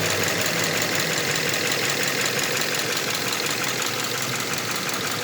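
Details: Subaru Impreza FB20 engine: light, even ticking at idle, about three clicks a second, seeming to come from around the pistons on each side; the owner wonders whether the valves can be adjusted, and the cause is unconfirmed.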